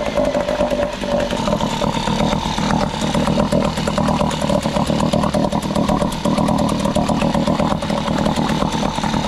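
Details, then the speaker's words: Small two-stroke outboard with gravity-fed carburetor and no primer bulb, started on choke then switched to open, runs healthy: rapid, evenly spaced popping at steady speed with no misses. "okay so we got this running good now I'm going to swap this power head and put it onto here"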